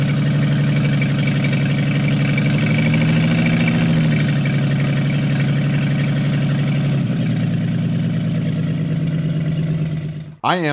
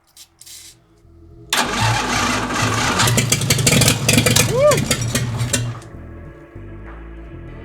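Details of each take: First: 1952 International L130 stock engine, first run after years sitting, points sanded, stuck throttle fixed, no muffler: loud raw rumble, steady even firing that settles and keeps idling. Normal idle; health unchecked, compression test pending. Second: 1952 International L130 rat rod, stock engine sitting for years, points cleaned, fuel off, no exhaust fitted: a few slow cranks then loud unmuffled roar about four seconds on starter fluid; it fires.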